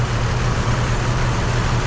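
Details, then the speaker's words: 2005 Isuzu SUV at idle: loud, lumpy idle with rhythmic low thump and uneven beat; pulling the connector on the cylinder the coil pack was moved to makes no difference, confirming the ignition coil pack is dead, later replaced. "absolutely no difference so that tells me right there that coil package junk"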